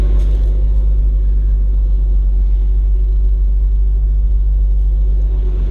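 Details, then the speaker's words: 1988 Jeep Comanche after a fuel leak repair, warm on a 92-degree day with electric fans running: deep, even idle, slightly high, with a steady low drone and no squeal or knock; belt and brake squeaks gone, running well. "Listen to this Comanche, man. Listen how good it's running now. Idling a little high, but look at the gauges."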